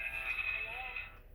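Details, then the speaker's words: Security camera's two-way audio from camera to phone is thin, tinny and crackly, dominated by high-pitched hiss and buzz and dropping out near the end; voice only sometimes comes through, with heavy interference. "Sometimes you'll be able to hear me, sometimes you won't, but as you can see, you can hear a lot of interference, so that's another problem."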